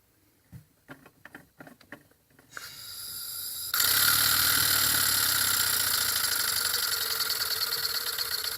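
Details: Ertl John Deere Waterloo Boy live steam engine after the fan rebuild (brass hub, 3/16 x 3/8 in ball bearing, spring belt, slight rub): a few light clicks, then a steady, even whirring hiss with the fan spinning smoothly. Runs healthy.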